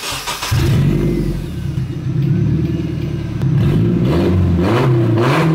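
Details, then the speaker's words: Nissan S14 drift car started and revved gently with the new exhaust pipe too short to meet the blast pipes, just resting on the hangers and unconnected: loud, raw, blatty note rising and falling with throttle, an exhaust leak at the gap. "I didn't want to rev it too much, but it's kind of disappointing that I couldn't get this exhaust on."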